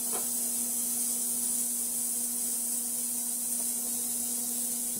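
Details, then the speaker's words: Repaired cheap ultrasonic cleaner (died after about 100 days) tested the next day with the tray in: steady buzzing hum and loud even hiss, no muffling; cavitation waves now visible and audible, unlike the muffled sound before repair. "Before it was just a muffled sound, and you didn't see any of the water cavitations, or you couldn't see the waves, the sound waves going through the water like you can now."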